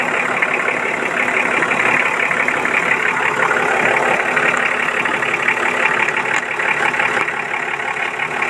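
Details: Engine settles into a steady, even idle with a smooth beat and no knocks, misses or hunting, running normally after a no-start blamed on a low battery and contaminated fuel filter.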